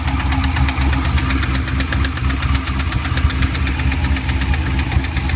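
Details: Chevrolet Corvette C5 V8 idling with rapid, even knocking that sounds like a spun bearing or lifter knock, but was actually the badly worn bearing in the A/C belt tensioner pulley.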